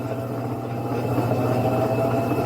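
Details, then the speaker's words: Electrolux LT15F 15 kg washing machine on spin after bearing replacement: smooth, even whir building steadily with faint whine, the former iron-dragging roar during spin gone; bearing replacement fixed it. "Cadê aquele barulhão que faz Cadê o ronco entendeu só o rolamento só troca do [Música] rolamento viu"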